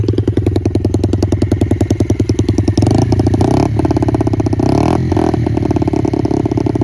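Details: 2006 Yamaha TT-R50 single after cleaning the aftermarket carburetor and jets and fitting a new battery: revs up and settles, firing crisp and even with a quick steady beat; running clean and healthy.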